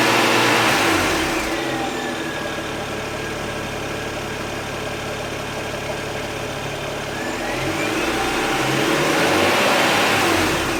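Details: BMW N54 idling and revved to about 3k rpm: light tick over the idle, louder by stethoscope toward the front, also heard at the front turbo and very loud at the AC, fading from cylinder 1 to 6, silent on the block. Slight air leak suspected. Engine ticking.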